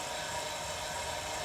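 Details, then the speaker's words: Lippert Ground Control TT auto-level on a 2017 Windjammer 3029W travel trailer, grounding the front jack: faint, even electric whir with steady pitch and no grinding, stopping then adding pressure; jack motor healthy. "grounding of the front jack. And you can hear the motor, and it stopped. And it's putting a little bit more pressure."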